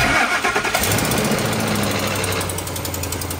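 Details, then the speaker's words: 2004 Ford F-150 5.4 3-valve Triton, new remanufactured engine with replaced cam phaser, customer complaint of knocking on startup: catches and idles with uneven light tapping, three to four per second. Cold-start knock, cause unconfirmed. "Quick follow-up on the F-150 with the brand new Rainman engine and knocking noises on startup."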